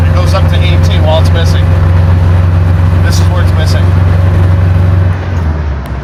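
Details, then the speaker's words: 1966 Mustang V8 with a 670 Street Avenger carb, monitored on an LC-2 wideband: runs rich across the range, but at a part-throttle dead spot the air-fuel ratio climbs to 16-18 and the engine stumbles and misses; owner suspects the carb. "okay it's running too rich across the entire band yet when i get into the uh point where it starts to miss it goes up to 17 16 17."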